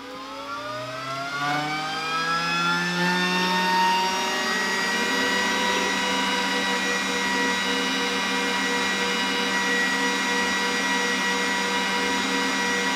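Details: Stock exhaust fan on a Glowforge Basic laser engraver, recorded with a shotgun mic at startup before a quieter inline fan upgrade, spins up with a rising whine, then a loud steady high-pitched whir over rushing air; the fan gets louder with build-up.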